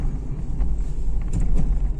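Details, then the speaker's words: Renault Megane 2 cabin driving over bumps, after silicone spray on plastic trim joints: low road rumble and a few dull thuds, no creak or squeak from the rear shelf; rattle fixed. "0 до однозначно уже не не издает звуки уже уже результат есть результат есть"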